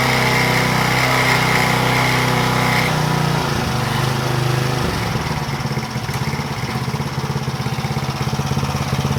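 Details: Power Trim edger after fitting a new Pulsa Jet carburetor kit: small engine buzzes evenly at a steady speed, then settles into a regular beat with no surging; healthy, oil change to 30-weight still to do.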